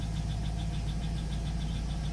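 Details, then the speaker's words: 2002 Cadillac Escalade LQ9 6.0 V8, cold start at 73°F after sitting overnight, fresh oil and flush: steady idle with faint, quick, even valvetrain ticking near cylinders 5 and 7; began after Seafoam, cause unknown. "So as you can hear, there is a little bit of valvetrain noise in the background."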